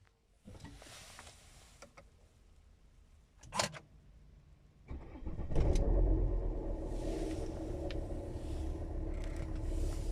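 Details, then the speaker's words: Car engine after fuel system repair starts and idles, then revs slightly, with a rough, rubbing, friction-like rasp over the normal running sound that shouldn't be there: abnormal friction-like noise. "Yeah, that sound, that friction-ish sound shouldn't be there. Definitely is not right."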